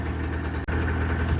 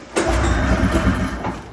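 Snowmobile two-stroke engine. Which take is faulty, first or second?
second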